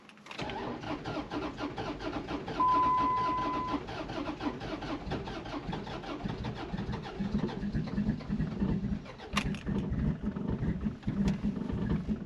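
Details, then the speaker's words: 2004 Dodge Ram that dies after running a while, on a used battery with no stored codes: long even cranking for several seconds before it stumbles into a rough idle; hard start, owner suspected a vacuum leak. "It's having trouble starting. Doesn't seem to be doing good. I got it started."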